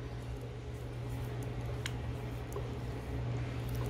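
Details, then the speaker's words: 2003 Toyota Hilux 3.0 naturally aspirated rear differential after overhaul with four bearings and seal replaced and adjusted: only a low steady faint hum, no grinding or whine; previously very noisy, now quiet and healthy. "Lembra ontem quando a gente rodopiam aquele barulhão Massa olha como é que tá silencioso agora aqui ó não discuta"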